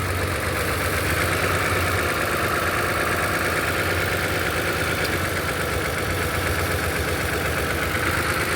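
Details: V6 idling with a restless, unsteady hum and irregular shake instead of a smooth note; scan tool reports a cylinder misfire, ignition coil mentioned.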